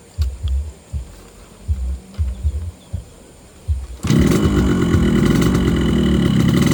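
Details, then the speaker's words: Yamaha RX-King two-stroke motorcycle started after topping up two-stroke (side) oil: a few uneven pops and thumps, then a steady, even buzzing idle with no misfires; engine said to run smoother after oil refill; normal running. "Nah, setelah kita mengisi oli samping, motor 2 tak ini atau Yamaha Air Racing akan suara mesinnya itu akan menjadi lebih halus dan aromanya agak enak."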